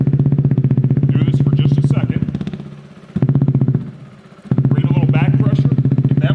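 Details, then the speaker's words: 2017 Kawasaki Z125 Pro with new Hindle Evo megaphone exhaust at idle: steady single-cylinder thump dipping as the outlet is blocked; no hiss or whistle, so the exhaust gasket seals. "There we are at idle."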